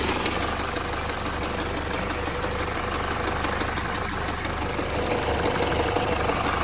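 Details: Peugeot 308 at idle with a sudden frightening knock from under the hood: a loose, repeating knock of about three per second from the front of the engine, traced to the alternator belt.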